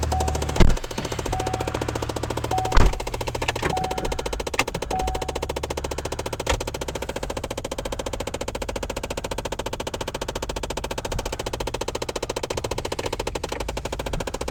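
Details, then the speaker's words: 2011 Chevrolet Impala, cold around 29°F, in-cabin: a fast, steady mechanical ticking of about eight clicks a second from the blend door actuator, which then times out and stops on its own without reaching position. "Some of you are probably hearing that noise right now going, "How?" See, it just stops. It times out. It must time out. It's not that it fixes itself or the blend door actuator gets in the position it needs to be in"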